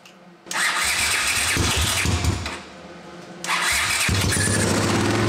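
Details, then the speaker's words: 1979 Honda CX500 half-converted cafe racer, carburettors rebuilt, running on one cylinder because one ignition coil is damaged; uneven, lumpy firing sags almost to a stall then picks up, with idle set too low. "It's only going to run on one cylinder because I wrecked the one coil. But the coil is on its way, so we'll see what happens."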